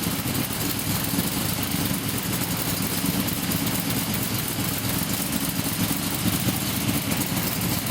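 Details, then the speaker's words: Blown 355 Chevy with a Weiand 6-71 blower, boost-referenced 600 Holley carbs and a solid roller cam, timing recently reduced, restarted after sitting: a deep, even V8 burble with faint blower whine, idling easily near 900 rpm without throttle; normal idle. "it's sort of really easy and idle without even touching 900rpm idol"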